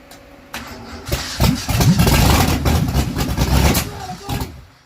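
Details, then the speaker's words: First start of the brand-new rebuilt V8 with heads and cam in a 1982 Mustang GT, after two pumps of the throttle; a spark plug wire rests against the header. Short crank, then uneven chuffing builds into a brief rough run before shutoff. Good first start. "All right, that's a good first start. All right, you can kill it."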